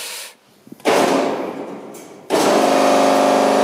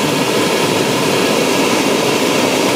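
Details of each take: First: Feed pump on a 665 kg/h steam boiler, run by pressing the pump with its valve nearly closed during the low-water level safety check. Harsh buzzing whine with rough rattling for about six seconds, then winding down; pump sounds bad, cause unclear. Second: Gas burner of a 665 kg/h steam boiler lighting after the low-level safety check, with level electrodes in water. Loud, even roaring rush with no pulsing or sputter as the ignition torch lights normally, before first stage.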